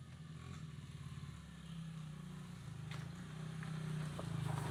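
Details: Honda XR50 small single-cylinder after head gasket repair, steady quiet idle at about four beats a second with no popping or hunting; exhaust silencer full of oil, owner suspects bike sat upside down; normal idle.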